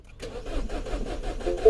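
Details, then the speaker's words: 2012 Mini Cooper 1.6L manual, new fuel pump already fitted, cranks with even starter churning but never starts; rail pressure only 21 PSI, code 002BFA high-pressure fuel plausibility, cold start pressure too low; no fuel pressure. "oh look at that rail pressure so we're never going to get to start with 21 PSI"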